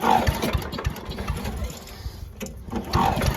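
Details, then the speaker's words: 1982 8 hp Briggs & Stratton engine on an old Giant Vac leaf blower, cold: uneven sputtering bursts between recoil pulls, never settling into a steady run; hard starting from water in the fuel, milky contamination in the carb bowl. "think there's water in the carb. Let's put some some carb cleaner in there and give it a shot. All right, so there's definitely water in the gas."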